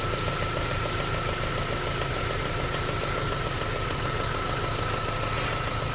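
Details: MG ZR 105 idling: faint uneven ticking and a thin steady whistle over the hum. The noise comes and goes despite new plugs, leads and alternator belt. Intermittent abnormal engine noise, cause unknown.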